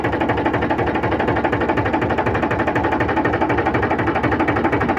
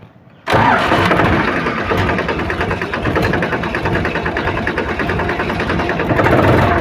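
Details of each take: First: Powertrac 42 Plus (44 hp) tractor after hydraulic repair, idling while hydraulic arm lifts and lowers: even steady diesel chug about four beats a second, no bogging; before repair the hydraulic rose by itself and engine labored. Normal running. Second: Powertrac Euro 42 Plus tractor (about 44 hp) whose hydraulics lift on their own at start: diesel runs heavy and strained with rpm dropping as if under hard load; engine bogging under hydraulic overload.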